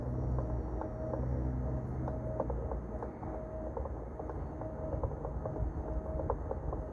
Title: Halo20+ Brand new has clicking noise